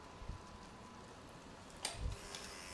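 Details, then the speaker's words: Kawasaki motorcycle that sat 6 years without starting, new genuine Kawasaki fuel pump just plugged in: faint steady high whir as the pump spins up and primes normally, ahead of a first start attempt. "and she spins. You can hear that, can't you? Yep. If that goes in, it's going to supply fuel and hopefully it starts."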